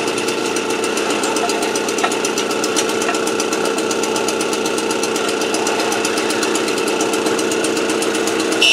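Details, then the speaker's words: AV89 two-stroke moped on a 70cc Ersal kit, after an ignition repair and with a correct-thickness head gasket, warming up before retightening head and exhaust: steady, even buzz with fine regular ticking, no misses or surging; runs cleanly. "Donc voilà, la 89 fonctionne."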